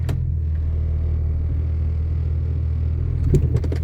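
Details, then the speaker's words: 1996 Jeep Cherokee XJ after front axle install and 4x4 swap, driving in four-wheel drive: deep steady drone then a short cluster of sharp clunks and rattles; felt like coming from the rear end, cause unknown. "You heard the clunkiness. You heard all the rattling. Felt like it was coming from the rear end."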